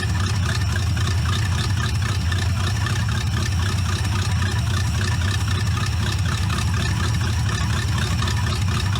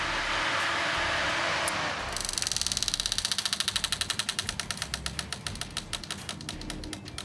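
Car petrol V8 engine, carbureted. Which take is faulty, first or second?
second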